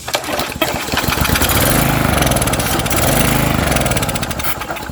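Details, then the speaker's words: Troy-Bilt edger 25B-554M711 with a Briggs & Stratton 500e engine, after carb cleaner was sprayed in: it fires and runs a few seconds with surging revs, never settling. Fuel starvation; the carburetor is being replaced. "okay it's not getting gas so we're just going to change the carburetor"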